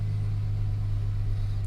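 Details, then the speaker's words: 2002 GMC Sierra V6 idling smooth and steady after a full tune-up (plugs, wires, cap, rotor, fuel/air/oil filters) following Seafoam for cutting out and hard starting; pressure good, even low hum, no stumble or ticking: normal idle. "pressures good seems to be running well this is exciting no mrs. it seems to be idling smooth"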